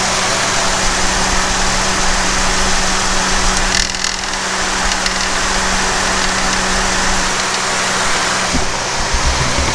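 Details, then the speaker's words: Jeep Liberty idling, hood open, camera at the front: a dull hum with a loose, busy rattle as the AC compressor clutch engages; the AC compressor clutch bearing is suspected bad and a new bearing was bought. "so you'll be able to see when the clutch uh engages and you'll hear hopefully on the camera you can hear the rattling that's coming off of this"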